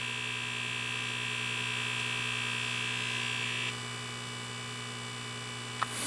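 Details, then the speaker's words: 1979 Atari Asteroids arcade PCB, audio amplifier powered on a second board: steady buzzy hum with high whine and fine chatter through the speakers, vector drawing chatter amplified into audio; a bad analog part in the sound circuit, later replaced. "you hear all that chatter that's coming through the speakers so like the vector chatter is amplified through the speakers on here"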